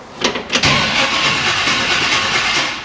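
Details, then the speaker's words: AC Cobra that has sat for a while in a shipping container, first crank attempt. A few hesitant clunks, then a strained, uneven cranking whirr that never catches; the starter is struggling to turn the engine over. "it does and the starter is not happy"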